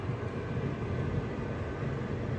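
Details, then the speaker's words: Whirlpool WMH31017HS08 microwave, a couple of months old, running empty with the turntable plate correctly seated. A steady low rumble with an uneven throb comes from the turntable area; the owner worries about an internal fault. "Can you hear that noise? It sounds like the plate is misplaced, but it's not. And it worries me that there must be an issue with the microwave and we might have something going on in there."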